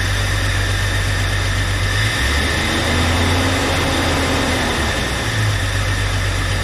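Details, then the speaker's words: 1999 Jeep Cherokee, junkyard 4.0L inline six just installed, first start: smooth, even, steady six-cylinder idle, no misses, ticks or knocks, no check engine lights; normal idle. "sometimes all the stress the aggravation's worth it sounds like it's running pretty smooth they don't have any check engine lights on"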